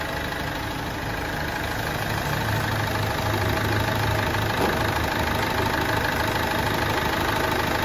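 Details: Ford Fiesta 1.4 TDCi diesel, 2006/2007, Durashift, 226,160 km, after engine rebuild for oil burning and smoke, with fresh oil and filters; even idle with a steady light clatter of about three beats a second, no misses or knocks.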